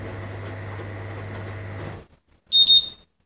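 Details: TBS Disco with APM 2.5 flight controller and a remote piezo buzzer/LED board. After a steady hum drops out, a pair of quick high-pitched beeps sounds as the controller begins its arming sequence.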